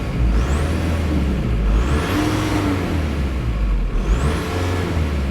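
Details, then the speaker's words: 2003 VW TDI diesel, sat for years, driven 176 miles after new thermostat and coolant temp sensor: slightly uneven idle that smooths with a throttle blip; rough idle, much better than before. "I've driven it a hundred and seventy-six miles and look it does idle little rough but watch this as soon as I tap the gas"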